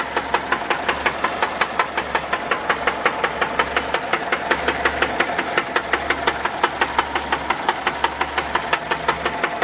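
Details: 1979 Volkswagen Type 4 engine knocking at idle: sharp, even knocks roughly three per second throughout; cause suspected, not confirmed.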